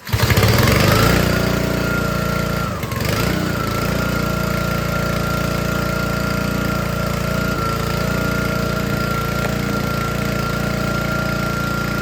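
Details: Troy-Bilt log splitter's small Honda engine driving the hydraulic pump, lawnmower blades as simulated load; after backing out the pressure adjustment it dips briefly under load, then settles to a steady, even run without dying; normal running.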